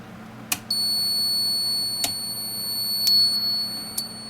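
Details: Koolance TMS-200 fan/pump controller before repair, cold boot: shrill high-pitched beeps about every second and a half over a faint low hum, the controller's beeper sounding its cold-boot alarm.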